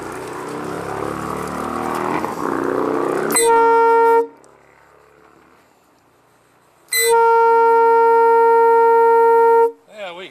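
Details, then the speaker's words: Old Nathan Air Chimes train horn, blown without a proper flange using paper towels around the air nozzle: two long steady blasts with a thin, incomplete chord. Two chimes seem not to be sounding; owner suspects they are clogged with bugs. "Sounds like 2 of them aren't working now. Probably clogged up with bugs or something."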